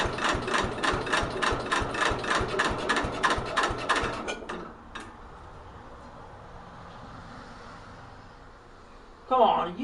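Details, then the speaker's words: 1964 Cub Cadet 70 with a new engine, cold start at about 10 degrees, choke closed: slow, labored cranking at about three and a half turns per second for four seconds, then it quits without firing; weak battery suspected. "Come on, are you kidding me? The battery doesn't sound good."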